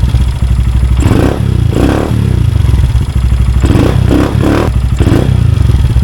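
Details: Honda Grom single-cylinder after installing a DHM S1 camshaft with valve clearances adjusted and exhaust refitted: deep steady thump with a few throttle blips, even with no knocking; running normally.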